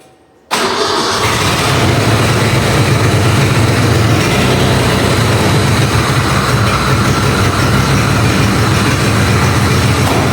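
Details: Ford Bronco II engine first start after exhaust welding, using starter fluid and with a fuel leak: cranks, catches, then loud uneven idle with rapid raspy puffing from the open O2 sensor port (sensor not installed); engine otherwise sounds healthy.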